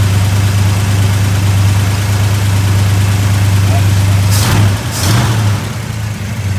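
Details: Truck with 390 V8, old emissions vacuum-secondary Holley replaced by 750 Holley 4160 to cure seven-year part-throttle hesitation; deep steady idle, even low rumble with a couple of blips, running smoothly.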